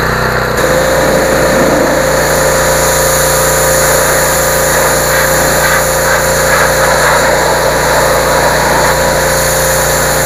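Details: Generac 2800 PSI 2.4 GPM residential gas pressure washer, warm engine restarted with choke after bleeding air from the pump: steady, even engine drone with constant pump whine, no misfires or surging; normal running.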